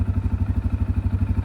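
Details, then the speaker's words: CF Moto CF 625 ATV at about 1,949 km and over 100 hours, idling: a rhythmic, compressor-like clatter about eleven beats per second that occurs intermittently; cause unclear, before servicing. "atb boştayken bir ses yapıyor her zaman değil bakalım yapacak mı böyle sanki rampa aşağı gidiyormuş da bir ses çıkıyormuş gibi kompresöre biliyormuş gibi ses"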